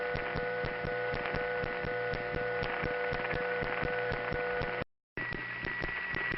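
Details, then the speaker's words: 1977 Bronx Kingsbridge central office, phone-line recording: constant electrical hum with steady regular pulsing on top; that building's normal power-plant noise. "East 150th Street now to the uninitiated of course these are just hums and why bother paying attention but to us these were reliable noticeable landmarks"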